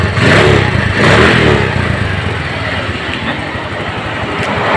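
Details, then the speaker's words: Suzuki Spin scooter after repair of a sticking carburetor vacuum slide: a short throttle rev drops cleanly back to an even idle. Before repair the revs hung after releasing the throttle, as if the cable were stuck; now it returns properly. "Sedangkan tadi saat kita gas, kita lepas gas, dia langsamnya tetap mau ngikut ya, seperti motor layaknya nyangkut tali gas ya. Tapi di sini sudah aman ya."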